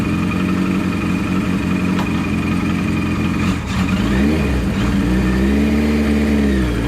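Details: Kawasaki KZ900 running after new clutch plates and clutch cover were fitted, following a loud clutch-side noise on the road: steady, even note with smooth throttle blips, no knocks, slipping or rattles; normal running.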